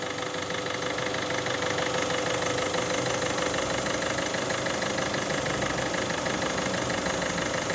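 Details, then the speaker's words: 1.6 HDi diesel, newly fitted engine, still cold, after replacing the timing chain, tensioner and guides to cure a metallic noise from the chain side: steady even idle, about three pulses a second, no rattle; sounds healthy. "بعد ما كملناها وكل شي و خدمناها شوفيها صوتها ما شاء الله"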